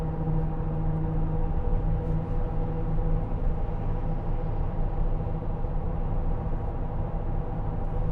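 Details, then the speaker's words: 2008 Land Rover Discovery 3 2.7 TD V6, 104,372 miles, cruising at 70 mph in sixth gear: steady low wheel bearing drone under road noise, starts around 30 mph and goes away when steering loads the wheel; otherwise quiet. "seventy miles an hour six gear 70 miles an hour mm revs apart from their droning wheel bearing noise it's fairly quiet"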